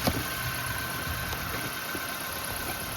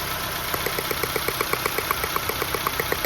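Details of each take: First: 2005 Nissan Pulsar N16, 220,000 km, original ignition coils, one coil unplugged at idle: uneven stumbling beat with a dead cylinder, dim ticking, unburnt fuel smell; misfire; coils then replaced with aftermarket ones. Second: 2005 Nissan Pulsar N16, 220,000 km, idling after replacing original ignition coils with aftermarket coils: crisp even ticking about four times a second over smooth idle; normal ignition spark ticking, dimmer ticking, runs better than before.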